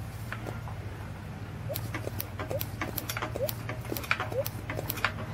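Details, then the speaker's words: Planet Jr. Model B walk-behind tractor, old estate find kept indoors: after removing the shroud and gas tank and cleaning the points under the flywheel, the ignition gives a nice white-hot spark with sharp, crisp snapping clicks over a low hum. Normal, strong spark. "so it's a nice white hot spark and you can hear it snapping"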